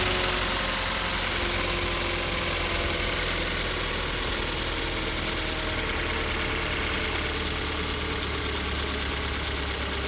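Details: Kia Soul 2 1.6 engine at cold idle: a fast, light ticking knock, about three or four a second, over a hissy steady run; cold knock, source undetermined.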